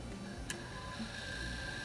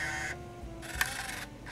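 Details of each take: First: Secondhand Canon Vixia HV40 HDV MiniDV camcorder, second tape (previously spliced) after first was eaten: quiet steady mechanical whir with faint constant tone, no grinding or snagging; tape rewinding normally, playback still to be tested. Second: Canon Vixia HV40 HDV camcorder, secondhand, unused for years, in cold fogging conditions: faint whirring mechanism in stop-start bursts with small click, showing remove-cassette error; loose pinch roller noticed, tape loading fault.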